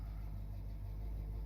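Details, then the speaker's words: Corvette V8 (79 or 81) on a joyride after tuning and timing work, still warming up: smooth deep steady burble with no stumble or bogging; temperature gauge starting to creep, running clean. "She's got that warming up smell. But you know what? She is not bogging down."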